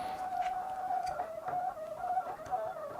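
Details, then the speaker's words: Coolmoon Crystal Diamond 12cm ARGB budget PC case fans at a low controller speed: faint thin whine wavering up and down, motor sounds strained with an odd resistance; higher speeds run fine and silent, cause unclear. "so there is a kind of an odd resistance going on there"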